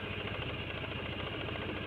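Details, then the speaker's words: Honda Vario, about 2011, with CBS and a non-original CDI, whose starter only clicked because the starter relay inside the CDI was weak: after jumpering the relay it starts with the brake pressed and idles steadily with small even ticks, no stumble or rattle. "jadi motor sudah enak sekarang sudah bisa starter hanya dilakukan penjemperan seperti ini"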